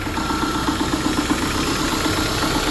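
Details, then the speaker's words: Subaru just after alternator replacement (now charging better than the 13.3 V before): steady idle with a fast, light knocking at engine speed from the back side of the engine, louder on cold start after sitting overnight; source unclear. "Yeah, that noise is definitely coming from the back side of this motor."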